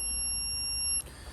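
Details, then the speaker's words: Logic probe touched to ground while checking fuses on a cranks-but-won't-start Ford Focus with a suspected fuel problem. A steady electronic tone holds about a second, then cuts off; this is the probe's dull ground signal (green light). "If we touch a ground, green light and a dull noise."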